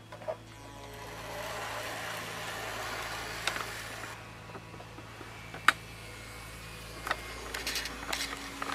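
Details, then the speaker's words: Hornby R7229 basic model train controller: low steady electrical buzz under faint clicks and handling, persisting across different locos, high/low switch settings and higher speed; controller makes the motor buzz, not the loco. "this is Hornby's new Oh 72 to 9 controller I found that it makes the locos a bit more noisy"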